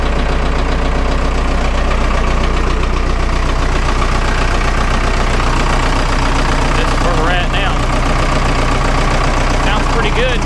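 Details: Vermeer 1800 diesel wood chipper bought at auction, first start in four years: steady, even diesel idle with a regular beat of about three a second and no knocks or misses; runs cleanly after long storage.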